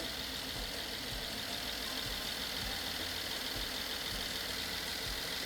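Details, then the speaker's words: BMW F10 550i N63 V8 after rebuild following hydrolock, bent rod and cylinder wall repair, first startup, unplugged ignition supply connector fixed: steady even idle, no misfire, no knock, no smoke; normal idle. "The engine's running, it's not misfiring, it doesn't make any noises, no knocking noise, and look at this. No smoke whatsoever."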